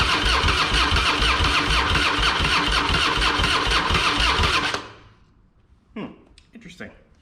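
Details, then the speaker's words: Harley-Davidson Fatboy with Screaming Eagle kit (new heads, ignition, pipe), sat two years, fresh fuel and charged battery: starter churns the V-twin at about three even pulses a second without catching; fuel valve was off. "it's helpful if I turn the fuel on first idiot"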